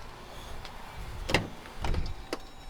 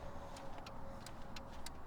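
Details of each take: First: 2014–2022 Jeep Grand Cherokee with 7443 switchback LED turn signal bulbs: even, soft relay clicks about every two-thirds of a second, a normal flash rate. The hyperflash stopped after the bulb, installed the wrong way, was flipped 180 degrees. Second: 2014-2022 Jeep Grand Cherokee running with switchback LED turn signal bulbs fitted: rapid relay clicks about three a second over a low idle rumble, hyperflash with a front-turn-signal-out warning, until the bulb is rotated 180 degrees.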